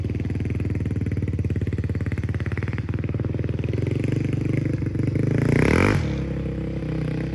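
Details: 2005 Honda CRF450X, sat 10 years, after richening needle one notch, main jet 190, pilot 45: steady fast single-cylinder patter, then clean rev rising and dropping without bogging; runs strong, normal running.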